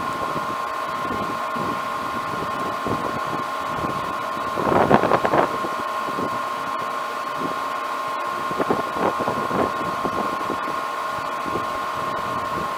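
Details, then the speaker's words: 1947 Farmall M tractor, first start attempt after rebuild with jump box and charged battery; starter whirs with uneven, sluggish turnover pulses that never pick up speed, cranking too slowly to catch. Owner suspects bad battery; not confirmed. "well guys I don't think that battery was any good because I could not get that thing to spin over any fas"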